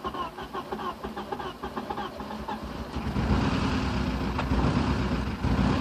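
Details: Porsche 944 started after ten years unused, exhaust valves bent when timing belt tensioner pulley fell off: slow, uneven cranking with hesitant catches, then coughs into ragged, lumpy running; hard start after long storage.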